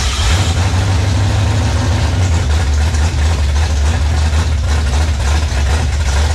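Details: 1966 Mustang with a 5.0 302 roller V8, first start after earlier trouble keeping it running off the starter: steady, even low rumble with no misses, knocks or stumbles; healthy idle.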